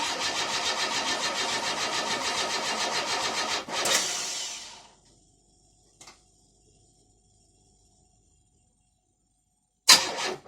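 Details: Car first start after repair, having stood from 21.10.16 to 18.08.18: starter churns at about three and a half beats a second for nearly four seconds, then stops; engine never fires; cranking, no start.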